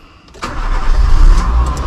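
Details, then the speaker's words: 2004 Nissan Cube 3 starting with the air filter still off, the owner suspecting a misreading air flow sensor: a quick crank, then a steady, even low idle with no shaking. "But the engine not shaking as before. See the engine? Completely stay still."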